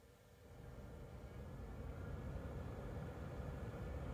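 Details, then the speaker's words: 2012 Chevy Equinox HVAC after replacing the blower motor, which had been clicking and cutting out: smooth airy whoosh building quickly to speed with no rattle or squeal. "oh that is much better you hear how fast that came on"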